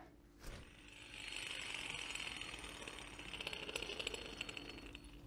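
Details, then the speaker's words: Citroën C6 2.7 HDi: worn idler pulley bearing by the tensioner, spun by hand, gives a rough, gritty grinding that rises and falls; it is behind the engine squeal, and the bearing will be pushed out and replaced. "horrible what i'm hoping is that there's a bearing inside it and i might just be able to push that out"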